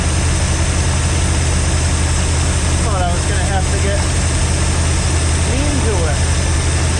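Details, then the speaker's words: Junk V8 with two-barrel carb and newly fitted starter, cold start: heavy, lumpy idle with uneven loping beat; running rich and flooding itself, owner thinks it sounds like it has a cam. "That looks good. Now she's flooding out. Yeah, that's what I'm talking about."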